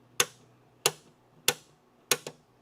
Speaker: That's all you want to hear. That that latching system hitting the striker.